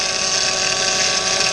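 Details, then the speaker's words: Engine-bay power steering pump with a fluid leak and low fluid, drawing in air: harsh, high droning moan with a gravelly edge that gets louder when the wheel is turned; air bubbles in the reservoir; pump moan from air ingestion. "will be ingested into the power steering pump and it'll make this horrible kind of Moaning noise that it's very stereotypical of air and a power steering system"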